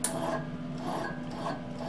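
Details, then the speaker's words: Binzel MIG welder torch: the drive roll spins with a dry, rasping scrape against wire that won't feed. The wire, probably kinked, is jammed in the liner, and the fix is to pull it out or replace the liner. "you can actually hear it you listen to it you can hear it scraping so but you've got a stuck wire in the liner here"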